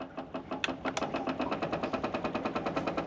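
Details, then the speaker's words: Triumph Stag with 4.6 L Range Rover V8, battery nearly flat, running on jump pack: rapid even ticking of about three beats a second from the fuel lift pump, running fast and steady with full voltage; normal lift pump operation. "the battery is pretty dead but the jump pack has been continuously and continuously helping me you can hear how fast the lift pump is"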